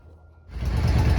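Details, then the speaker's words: 2006 Yamaha V Star 650 (XVS650) first start after installing used OEM fuel pump and flushing the fuel tank: quiet, then the engine catches into an even low thumping idle with no misfire; normal start and idle. "It's alive! Woo-hoo! Man, long time coming."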